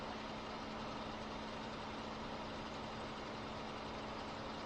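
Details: Car that would not start on a low battery (a 2018 Toyota Camry 2.5L A25A-FKS or a 1999 Honda Accord are tested), now idling after a jump start with cables, alternator reading about 13.9 V; soft steady low hum, no stumbling or misses; normal idle.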